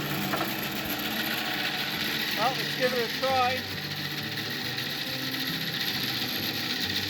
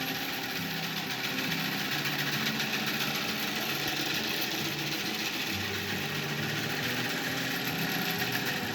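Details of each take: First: Antique wooden bandsaw bought at auction, on its first run after being plugged in. A steady, loud mechanical hum with a busy high rattle at an even pace; noisy but works pretty well. Normal running. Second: Antique wooden bandsaw bought at auction, first run without prior testing; loud, rough, uneven clatter with a steady whirring hiss; something loose or worn, cause unclear.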